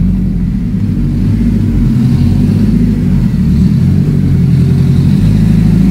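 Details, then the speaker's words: Deep, even engine note holding steady and pulling smoothly, no knocks, misses or rattles; sounds all right, normal running. "sounds all right. Sounds like it's ready to go back out and play, but..."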